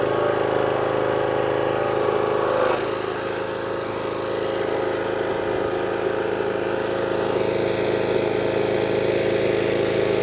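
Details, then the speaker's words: Small single-cylinder power washer engine, water on and new lance fitted, previously would only run on choke: steady even note, no hunting or stumbling; now running cleanly off choke, problem resolved. "so there you go one jet wash now all up running and running off a choke as well"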